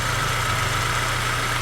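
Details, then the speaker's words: Saab 9-3 Turbo idling after a Liqui Moly 2037 engine flush; it had low oil pressure, tapping, banging and an apparent lock-up. It now runs with a steady, smooth idle hum, no knock or tap, and the oil pressure light is off. "This car is running quiet. It's smooth. No more oil pressure light."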